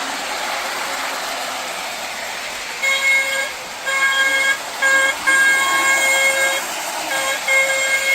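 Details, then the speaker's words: Lionel 2032 Erie FA-1 toy diesel locomotive, after a wiring repair, running on the test track: repeated shrill, steady horn blasts in short irregular bursts over the running hiss, ear-piercingly loud. The battery-powered horn works. "the horn also works as well which is a bonus but it is a bit earpiercing loud though"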